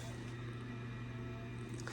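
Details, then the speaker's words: Boiler during heating service call, water about 80 degrees, space heating target 170: steady low hum of inducer blower spinning up before ignition, smooth and even, normal; ignition follows. "Hear that inducer, that blower running now."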